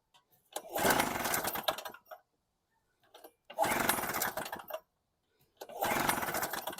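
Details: Storm Cat 700W Harbor Freight generator, 63cc two-stroke, fitted with a new test spark plug: three roughly one-second runs, each dying into silence. The plug change made no difference; fuel starvation suspected and the carb is to be ultrasonically cleaned.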